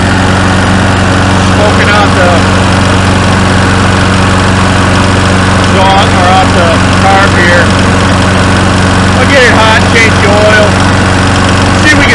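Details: Curb-found Snapper SPX mower, said to have no compression: uneven, stumbling single-cylinder beat with a loose, breathy tone, never settling; oil coming out of the carburetor and smoke, head gasket suspected: low compression.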